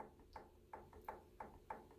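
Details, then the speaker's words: Sewing machine run slowly on zigzag gives a sharp, regular knock about three times a second, caused by excessive gear play in the zigzag mechanism, which shows up in the stitching; fix is taking up the gear slack: zigzag knocking. "Se tiver mais do que isso vai ser barulho aí ó se reflete na costura tá vendo esse toque toque se reflete na costura tá"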